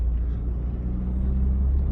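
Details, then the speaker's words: Saab 9-3 accelerating on the road after ignition coil replacement; before, misfire codes, power loss and jerking under acceleration. Deep even pull under load, no stumble or jerk; the car pulls and responds well without shaking. Normal acceleration. "autko się fajnie zbiera fajnie reaguje nie trzęsie i nie szarpie"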